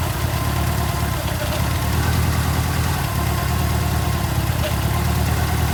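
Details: Ford Escort RS Turbo, forged 1.6 CVH, big-valve ported head, Kent 35 cam, Cosworth L8 ECU, green injectors, after engine bay loom rewiring and start-up: deep even idle, steady low rumble, no misses, knocks or ticks; running smoothly.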